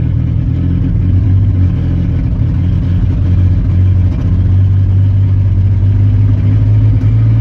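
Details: Chevy 4.3 V6 at idle: a low, uneven idle with a lumpy stumble and dips in the beat; a miss on one cylinder, no cause found.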